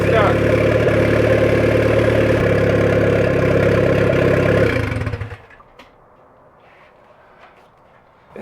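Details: 1994 Honda Civic EX with rebuilt engine, first start after over two years, oil residue burning off: smooth, even idle with steady regular beat, no knocks or misses, then switched off; normal idle.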